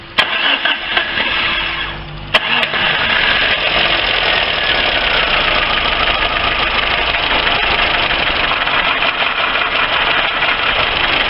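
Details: Lifan car engine at idle before additive treatment: fast idle with dry, rattly irregular tapping knock; acoustic diagnosis places knock in cylinders 2–3, with increased smoke; worn engine suspected.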